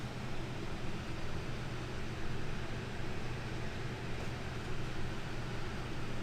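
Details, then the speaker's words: Conventional RV rooftop AC, fan only on low, shotgun mic at the return grill; about 66 dB at 36 inches. Steady low whoosh and even hum, no rattles or scraping; normal fan operation. "You can see it's just the fan running and we are on the low speed again."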